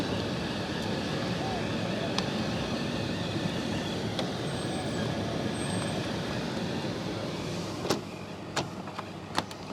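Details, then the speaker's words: Miele T8929 WP heat pump dryer found discarded: even soft drum rumble with two brief faint high squeaks, attributed to a bearing though unsure one exists; normal running with occasional faint squeak. "I mean, very occasionally you'll hear a really, really high-pitched squeak, and that's from the bearing."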